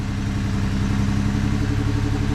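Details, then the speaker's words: 2020 Jeep Gladiator at idle with a flashing check engine light and a strong raw-fuel smell: a low, choppy, stuttering idle from a cylinder misfire, cause not yet found. "like yeah i mean you can hear it it's a little choppy now"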